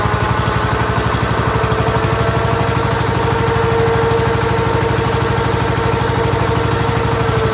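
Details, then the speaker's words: 1969 John Deere 140 H1 after a new carburetor, oil still dark, run to seat the rings: an even, steady thump at around idle with no knocks or misses. It runs quiet, smooth and well. "the next video you see the video clip will be it's running and it runs well runs quiet and smooth"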